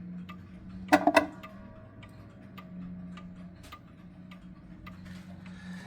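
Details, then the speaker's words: Box clock, 31-day movement, in beat after fine crutch adjustments and ready to have its door closed: even tick-tock with equal gaps in a quiet room. "And yeah, it's and yeah, there you go. Now it's in beat and it's running and ready to go."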